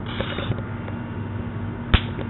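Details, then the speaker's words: Air conditioner capacitor being shorted out: one sharp, loud snap, showing the capacitor held its charge, so this capacitor is working. "you hear that that's a working cassador that's what you want"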